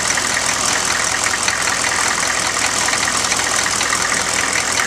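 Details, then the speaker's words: 1995 GMC Suburban 6.5L turbo diesel with newly installed HX35 Holset clone turbo, first start, idling during ~15-minute warm-up to circulate oil: steady even clatter, faint airy hiss, smooth; normal diesel idle. "I'm gonna let this run for a good 15 minutes just to bring it up to temp and let that oil get circulated"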